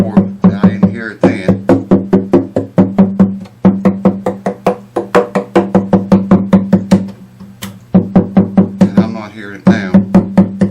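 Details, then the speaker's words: Epiphone FT130 acoustic guitar, about 40 years old, dust just blown out; foam between strings to stop them ringing. Quick knocks on the body ring clean and woody with no rattle or buzz: no loose braces, guitar stable. "There's no loose braces here. So that's good. Now we know the guitar is stable."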